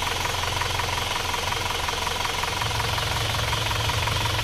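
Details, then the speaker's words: Warm Isuzu Panther diesel after the sunken cylinder 4 liner, which leaked compression, was flipped and new rings fitted; dipstick blow-by is gone. Steady idle, even low thrum with light clatter, soft and without rattle; runs smooth. "suaranya mesinnya suaranya empuk ya tidak shalat tidak ada suara kerang-kerang"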